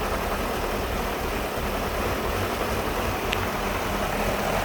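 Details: 1999 BMW 540i V8 petrol engine idling roughly, low rumble wavering and stumbling instead of a steady beat.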